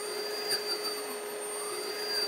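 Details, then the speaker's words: DIY-kit AC inverter driving an AC induction motor/generator, foot-pedal throttle from maximum rpm then speed changed: smooth even high whine drifting slightly with speed, no knocks or grinding; healthy. "you can hear it spin up see it spin up a little bit so right now it's going maximum rpm so I can change"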